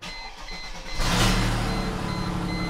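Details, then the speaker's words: Mercedes with 207,202 miles, stalling and poor running, oxygen sensor removed to test for a clogged catalytic converter: loud raspy blatting idle from the open sensor port; exhaust leak, and it drives well this way. "I took out the oxygen sensor, and that's why it sounds like there's a huge hole in the exhaust. Because there is. Yeah, there's a big hole in the exhaust."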